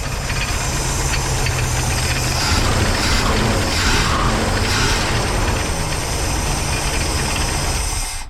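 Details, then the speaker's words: Van engine first start after sitting 15 years, using starting fluid, smoking; slightly rough idle with fast irregular slapping about four beats a second from two loose belts to alternator and AC compressor not on pulleys; loose belt flapping. "but you can see that sound where that sound was coming from it's right there so right here is your two belts right here and they're not even on"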